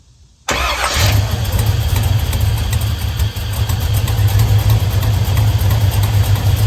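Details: Car with fuel pressure gauge reading only 20 psi, suspected faulty fuel pressure regulator: engine catches after a brief crank, low slightly uneven idle pulsing about three times a second; possible fuel-starved misfire.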